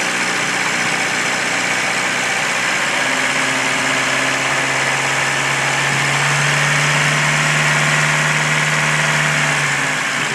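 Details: 1993 Jeep Wrangler YJ, stock 2.5L four-cylinder, 245,000 miles, idling with a sharp, even tapping about four a second; owner suspects valves, piston slap or timing chain tensioner; cause unclear.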